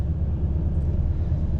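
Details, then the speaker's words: 2011 Nissan Titan Pro4X 5.6 V8 started right after new spark plugs were fitted and coil packs reinstalled: a steady, even low rumble at idle, smooth with no misfires or error messages. "so now let's fire it up all right sounds smooth"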